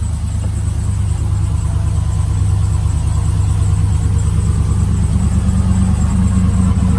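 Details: Trailblazer SS after replacing the GM fuse box (crank-no-start, codes P1682, P0689, P0443): catches and settles into a deep even idle with a steady low rumble, no misses or knocks; normal idle.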